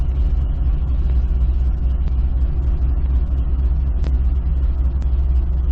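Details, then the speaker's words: 2005 Chevy Corvette V8 after reconnecting unplugged spark plug wires: deep, steady, even idle rumble with no stumble or misfire; rough idle fixed. "all right this seems to be idling fine"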